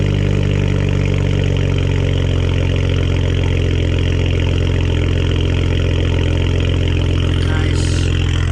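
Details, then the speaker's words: 2010 BMW 335 cold start, heard from the rear at the exhaust with Cherry Bomb 12-inch glasspack muffler, tip reinstalled: deep steady even rumble, throaty exhaust, no ticks or knocks; healthy cold idle. "alright guys let's see what she sounds like cold start guys yeah I'm just gonna stitch out back here so y'all can just get the full-on cold start"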